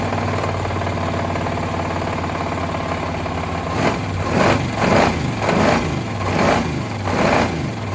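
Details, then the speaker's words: Long-parked parts truck on its first run after fitting a throttle body and adding two-stroke mix to the cylinders: a rough idle and a deep rhythmic knock that grows with revs; likely several broken or spun rod bearings. "it's got some real rod noise in there [Music] i'll be dead it has a lot of bottom end noise for sure uh i don't know oh man that sounds like there is definitely some broken or spun rod bearings not just one but a couple"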